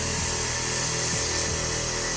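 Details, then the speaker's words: Newly installed car air suspension compressor, wired to switch on with fuel pump prime: steady hiss over low even motor hum, no surging or knocking; normal compressor operation, though system has several air leaks. "And if I did my wiring correctly, it should turn on when the fuel pump primes."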